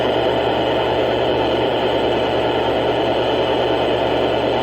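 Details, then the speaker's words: Tempest multi-band radio from the scrapyard, run from a supposedly pure sine wave power source instead of AC, volume off: steady rough buzz with a low hum under constant hiss; suspected unsuitable power supply. "It's supposed to be pure sine wave, but sometimes these don't like these. These expect AC. And it doesn't."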